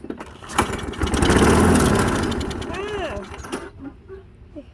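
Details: Push mower that only starts on starting fluid or carb cleaner fires and revs for a few seconds, then sags and dies; gummed carburetor with bad float needle, ultrasonic cleaning failed, carburetor replaced.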